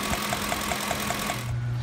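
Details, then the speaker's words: 2007 Ford F-150 5.4 L 3-valve Triton with a raw fuel smell under the hood: light, sharp ticking about five times a second, like a lash adjuster tick; a loose spark plug is leaking combustion gas past the coil boot. "and of course at the same time to making that ticking or capping noise at the puffs of combustion gases the cylinder just like a bell train tip"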